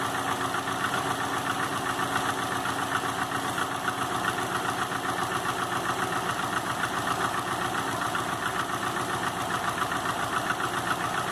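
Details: 2005 Subaru Legacy GT with rebuilt refurbished block (new crankshaft, bearings, used rods/pistons, used heads with new valve seals, used VF40 turbo), warmed-up idle at 22 psi oil pressure: steady light knock about four per second, locked to engine speed; cause not found.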